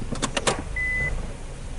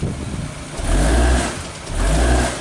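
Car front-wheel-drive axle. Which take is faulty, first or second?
first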